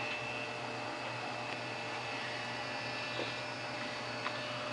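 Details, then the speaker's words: Apple Macintosh Portable during restoration, running from a 7.5 V 2 A supply backed up by a 6 V 1 A adapter in place of the secondary battery: old Conner hard drive gives a steady whir, faint high whine and light ticks while booting normally. "hear that old Connor hard drive spinning up and there we"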